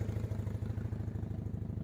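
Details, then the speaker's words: Honda CB175 twin, warmed up after a rough cold (~45°F) choke start: steady, even low thumping at idle with regular firing pulses and no misses or knocks; running great, normal warm idle. "I'm pretty pleased with this. This is running great."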